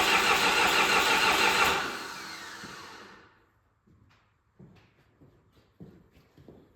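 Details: John Deere 450C bulldozer diesel, sat about 6 months, reassembled, in neutral: starter spins steadily about two seconds, never fires, then dies away; crank no start.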